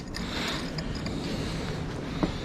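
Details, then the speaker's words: Old water pump off a 1946 Chevy truck, shaft turned by hand: rough, gritty grinding with ratchety catches as it binds, probably from internal rust; replaced with a new pump. "you tell where it was binding oh grind grind grind you can hear the crap inside of it though yeah it's probably just got so much rust in it"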